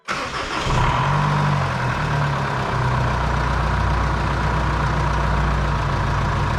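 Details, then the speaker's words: 2005 Jeep Liberty CRD 2.8L turbo diesel after a new serpentine belt tensioner and belt: starts fast and settles into a steady, even idle with no belt squeal or chirp; running normally. "everything looked good sounding good everything's on working appropriately"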